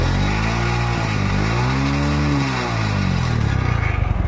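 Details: TVS Star City Plus motorcycle offered for sale as in good condition: small single settles into a steady idle, then smooth throttle blips rise and fall cleanly; a healthy commuter engine.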